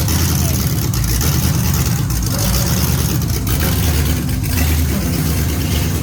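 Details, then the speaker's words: First start of an LS-swapped Datsun 510 wagon project after four years: loud, lumpy V8 with irregular metallic clatter; torque converter not bolted to the flexplate and spinning with the engine. "the noise was the converter and the flywheel because I don't have the converter bolted to the flywheel um there's there's space in between them obviously they're not rubbing but I think just the spinning of the engine caused the converter kind of to spin as well"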